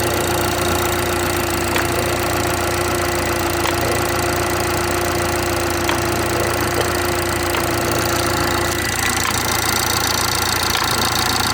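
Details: BMW 430i xDrive B46/B48 4-cylinder petrol at cold start-up in cold weather, idling with faint, uneven ticking and knocking over a steady hum and whine; cause unknown.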